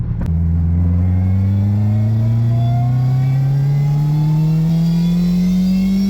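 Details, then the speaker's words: JRSC-supercharged Del Sol, freshly retuned with one degree of timing removed, full-throttle test pull through all gears toward an 8,000 rpm limit: pitch climbs smoothly, no squeal or chirp; belts not slipping, 16.1 psi at 8,100 rpm. "Doing a test pull through all the gears."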